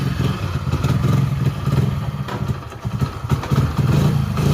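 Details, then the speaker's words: Hero Passion Pro after a full engine rebuild, started on choke, then choke off. Steady, even low single-cylinder putter with no knocks or ticks; runs smooth and healthy. "చూపిస్తా sound వినండి ఒకసారియతే clear గా sound ఎట్లా వస్తుందో చూడండి ఒకసారి అయితే engine sound మంచిగా వస్తుందన్నమాట."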